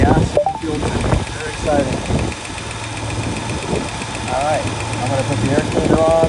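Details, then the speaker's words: 1967 Lincoln V8, warming up at idle on jack stands after a gas tank install: quiet, smooth idle with a light, quick tick-tick-tick that keeps pace with engine speed, from a noisy valve lifter under the hood. "she's really quiet all you really hear is the tick tick tick from that noisy valve lifter under the hood"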